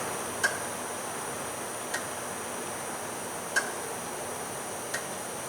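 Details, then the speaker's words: 2001 GMC Sonoma 2.2L with P0410 secondary air injection fault: a relay clicks sharply about every 1.5 s over a quiet hiss. The air solenoid is neither heard nor felt clicking and the air pump is not running. Solenoid control is to be checked with a test light. "Yeah, guys, I'm definitely not feeling this solenoid uh clicking on and off. What I can definitely hear is that relay up there clicking."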